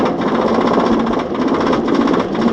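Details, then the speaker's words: Roller coaster train climbing the chain lift hill: rapid, even clac-clac clacking over a steady chain-motor rumble, the normal anti-rollback system that stops the train rolling back toward the station in a breakdown. "bruit provient du système d'anti roll back qui empêche le train de repartir en arrière vers la gare en cas de panne"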